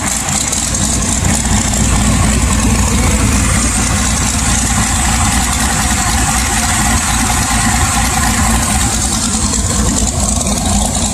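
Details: LS1 swap with a sloppy stage 2 cam, idle tuned with HP Tuners and AFRs now good: loud, lumpy V8 idle with a choppy cam rhythm but steady and even, no misses or stumbles; it starts much better and runs healthy.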